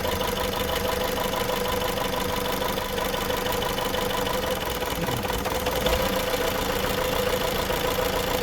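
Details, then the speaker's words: 2015 Chrysler 200 with intermittent no-start, codes for misfire cylinders 1 and 3, intake air sensor and knock sensor: steady idle roughens and dips when cylinder 3 coil is unplugged, so that coil is good. "So this one, code reader said was bad. They said a misfire on cylinder 1 and cylinder 3, which is this one right here. So listen. Yep, change there too. That one's good."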